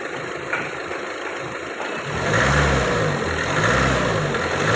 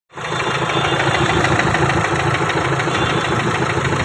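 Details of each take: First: Renault Duster after cleaning injectors and coding all four injectors to clear cylinder 1 injector code: repeated smooth rev-ups and drops back to idle, no knock or tapping; earlier knocking noise gone. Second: Renault Duster diesel, scan showing injector programming code: starts and idles with a sharp, rapid clatter; injector knock from injectors not coded to the ECU, before cleaning the codes.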